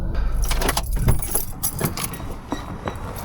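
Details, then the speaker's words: Slammed 8th-gen Honda Civic Si, driving, tires rubbing: irregular rattles and clunks over heavy road rumble, roughly three a second over bumps; harsh slammed suspension noise. "Oh, that suspension is horrible. Look at that noise."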